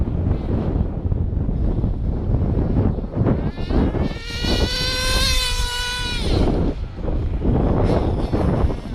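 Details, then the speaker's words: Hobao Hyper 7 nitro RC buggy with new generic clutch, exhaust gasket and elbow, high-speed needle just leaned in, low fuel, windy: engine climbs to a high whine then sags and fades instead of holding revs; bogging down, cause unknown. "You can see it's bogging down. Just bogging down. You can hear it bogging down."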